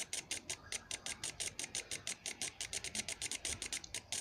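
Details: Toyota Soarer MZ21 fuel injector, clogged 12+ years, on the bench with a DIY carby-cleaner cleaning kit, now pulsing and spraying freely with fast even bursts of sharp hiss about six a second.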